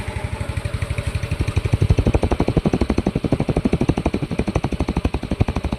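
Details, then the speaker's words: Yamaha Mio i 125 scooter, engine knock from running dry of oil, after oil change and repair; pulley fitted, firm even single-cylinder idle about four beats a second, no rattle or knocking, fairly good now; slightly bent clutch housing noted. "Inuno ko na siya. Medyo maayos na."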